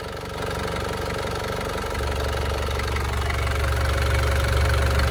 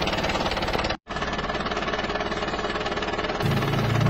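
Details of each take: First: Warm Isuzu Panther diesel (owner thinks Euro 2, relatively recent) at about 78° after ring repair without replacing pistons; steady, even idle of about four pulses a second with no misses or knock, smooth because the injectors and fuel pump are still good. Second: Isuzu Panther diesel, relatively recent, before repair: harsh clattery idle with heavy knock about three times a second, rough and uneven; worn piston rings with blow-by.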